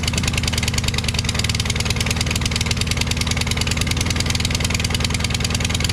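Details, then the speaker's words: Craftsman mower with a Briggs 550EX engine and a replacement head and muffler, after intake spray bypassing the carburetor: fast but uneven single-cylinder firing with a hollow, ragged exhaust beat, briefly sounding normal. Runs rough; cause unconfirmed, and the muffler sounds hollow. "I didn't do anything. It just did that himself. Did you see that second or so that it actually sounded normal?"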